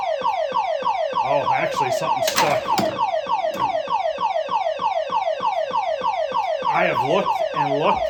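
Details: Silverball Mania pinball machine at power-up: fast falling electronic chirps loop nonstop, about one and a half per second; owner suspects a sticking switch but checked every switch and cannot find it.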